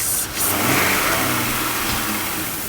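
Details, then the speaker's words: 1995 Audi A6, 5-speed, 67,000 miles, engine revving and settling with a steady airy hiss over the running noise. Vacuum leak from an old, brittle, cracked rubber vacuum line, which was replaced. "You can actually hear the vacuum leak. The hissing sound is the vacuum leak."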